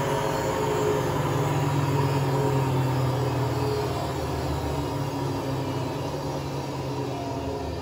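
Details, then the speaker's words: Hotpoint Aquarius WMA32 washing machine test spin: loud steady rumbling roar at full spin, heavy low drone with no clean hum; worn drum bearings or possibly a broken spider suspected. "well best way to put it I think it's a bit ruined if it isn't a broken spider it's broken Barons is it"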